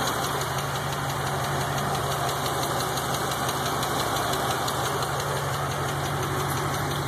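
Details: 5.3 GXP V8 at idle: a faint, somewhat uneven light ticking under the steady rumble. It is an engine tick whose source is unknown.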